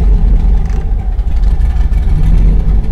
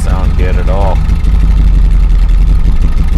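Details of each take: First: 2000 Chevrolet Silverado, 5.3L LM7 V8, turbocharged, after cam swap, idle airflow table reset to stock: deep rumble that sags and surges, kept alive only by throttle blips; stalls at idle, idle airflow too low. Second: 2000 Chevrolet Silverado 5.3L LM7 with VS Racing 7875 turbo after Summit SUM-8701 cam swap, idle tuning in HP Tuners, in park: deep, steady rumble with slight even cam lope, no misses; idles okay in park but barely runs in gear.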